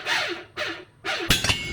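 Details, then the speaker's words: Bicycle chain tensile test on a rebuilt test machine against the 8,000 international standard: three creaking groans falling in pitch, then sharp metallic cracks as the chain yields. It fails at about 7.5. "Okay, 8,000 international standard. Will it make it? Oh, that doesn't sound good."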